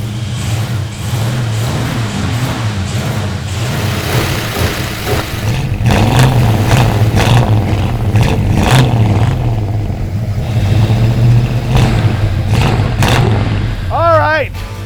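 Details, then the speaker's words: 1972 Plymouth Road Runner 440 V8, four-speed, first run after mechanical rework: rumbling and revving with rapid uneven puffing tick rising with revs; massive exhaust leak on one side, cause not found, otherwise runs well. "aside from a massive exhaust leak on that side that I can't figure out it is good to go the thing actually runs pretty good"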